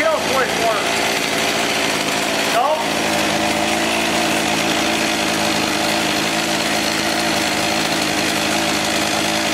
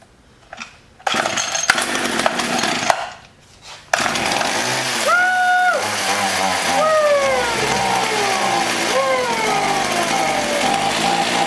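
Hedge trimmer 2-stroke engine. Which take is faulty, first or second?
second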